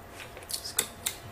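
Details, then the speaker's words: LG 50PK540 plasma TV after repairing the EAY60968801 power supply and fuse: a few dry separate clicks about a quarter-second apart at plug-in, power supply relay clicking on start-up. "Uh oh. I get some clicking. I don't know. I like that clicking, man."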